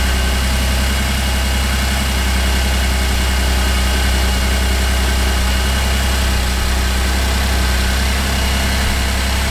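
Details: 2008 Cadillac CTS 3.6L GDI V6 after timing chain replacement and reassembly, vacuum lines reconnected: steady, even idle with a smooth low hum and no popping or misses; engine runs healthy.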